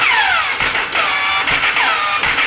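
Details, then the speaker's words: Jawa Yezdi motorcycle electric starter: each crank brings a high whirring squeal falling in pitch about once a second; mechanic suspects the starter clutch with the magnet has failed. "इसका जो magnet के साथ जो clutch van में clutch बोला जाता है तो वो शायद गया"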